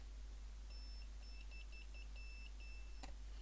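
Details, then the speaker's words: Previously blown open-circuit speaker, now reading 4 ohms after repair and before epoxy, fed an analog meter's test bleep: clean high-pitched bleeps with no rattle or buzz. The driver reproduces the tone properly. "you can't see move but the sound's definitely coming through the speaker"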